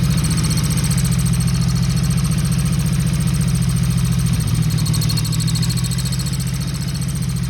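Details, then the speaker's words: 1977 XS 750 motorcycle with aftermarket air cleaners, possibly stale fuel: deep, uneven idle thump, ragged beat, brief stumble; owner suspects cam/valve area or vacuum leak, unconfirmed. "if it was coming from up here in the uh where the cams are for the uh for the valves and stuff uh I'm hoping it wasn't cuz it kind of sounded like that but it kind of sounded like a vacuum leak as well"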